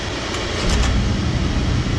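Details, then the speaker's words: Oil-fired furnace burner at -15°F, reset after tripping; low fuel let air into the line, with white cloudy bubbles in the spray: deep roar with uneven surges as it lights, likely to trip offline from air in the lines. "So it restarted right now, but it's going to trip back off because of all the air in the lines. See, there it goes. It just tripped."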